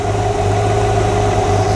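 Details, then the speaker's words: 1957 Chevrolet Bel Air V8 after rebuild, long unused, idling: lumpy idle with an uneven stumble on one bank, a misfire; owner suspects a spark plug, arcing, or a plug wire not fully seated. "yeah it's hiccuping on this side I'll need to check into that could be spark plug related could be arcing"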